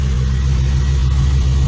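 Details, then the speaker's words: 2002 Camaro just after a Hooker Blackheart true-dual exhaust install and an oil change, 60 psi oil pressure. A low, smooth idle with a quiet burble; the earlier popping, snapping and ticking is gone and only the belts are heard: normal idle. "We no longer hear pop, pop, pop, pop, snap, snap, snap. Up here, no tickies. I literally only hear the belts. And this really rich, nice sound."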